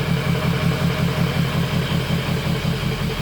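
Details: 2003 Ford F350 6.0 Power Stroke diesel after the missing oil filter anti-drainback valve was replaced: steady idle with an even low throb just under two beats a second, no knocks or ticks, oil pressure nearly 70 psi; healthy normal idle.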